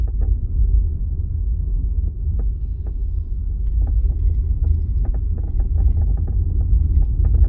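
Low road rumble underneath, with scattered sharp ticks and creaks coming irregularly from the rear; a loose trim or latch rattle, cause not yet found.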